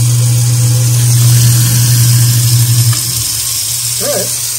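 A steady, low electric hum for about three seconds, then it shuts off; the disposal runs normally.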